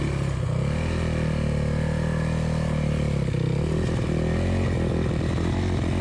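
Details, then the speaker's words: Motorcycle on a river-crossing trail ride pulling steadily, then stumbling and sputtering in a misfire as splashing water soaks the ignition coil; the rider suspects the electrics got waterlogged, and the bike later died. "the water splashes up over my coil i would get a misfire and in this one you can hear it really misfiring i think the whole system got waterlogged"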